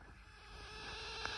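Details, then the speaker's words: Coil whine from a CPU voltage-regulator choke: high-voltage switching about 600,000 times a second makes its magnetic energy move the choke. Heard as a faint, steady, high-pitched thin whine over a soft hiss. "every time the high voltage affects the choke this magnetic energy slightly moves it we can hear this movement and as it happens about 600,000 times a second it's going to sound like"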